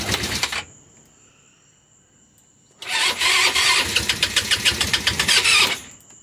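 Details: GY6 scooter (Eagle/Jonway/Roketa) first start after rebuild with new head, piston, cylinder kit and carb, battery low: short crank, then the single catches and runs with quick even firing pulses before shutdown; sounds healthy.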